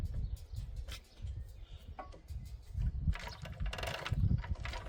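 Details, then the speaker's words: Wrigley truck turned over slowly: uneven clunks and scrapes each rotation as the drive chain sits too close to and hits nearby metal near the gearbox; fix considered by moving gearbox or grinding metal; drive chain rubbing. "We need to get it away cuz this chain is really close to this metal in here. It's actually it's actually hitting on it which is why it sounds bad."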